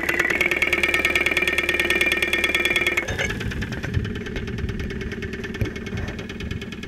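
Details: 2001 Saturn SL2 at idle, stethoscope microphone, after being run with very low oil; not run for two months, oil pressure about 35-40 psi at idle. Sharp, regular metallic ticking about three per second; internal knock, cause unconfirmed.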